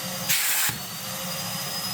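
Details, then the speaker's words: Commercially used Numatic Henry vacuum, before servicing: steady high airy whine with low hum underneath, no rattle or grinding; motor running normally, nothing wrong. "Alright son, calm down, nothing wrong with that one at all."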